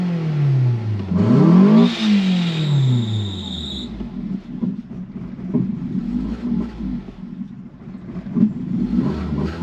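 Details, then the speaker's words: 2012 Ford Focus flooded to the roof after Hurricane Helene, at first start with water coming out of the exhaust and light smoke from ATF burning off. It blips, then settles into a lumpy, wandering idle that won't hold steady, though the engine sounds healthy. "so it doesn't want to stay idling but it's the engine sounds pretty healthy"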